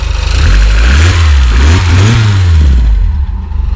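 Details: Mazda MX-5 NA after crank angle sensor replacement, which cured a crank-no-start: strong, clean revs rise and fall smoothly without stumbling, then the engine is switched off; it starts and runs properly.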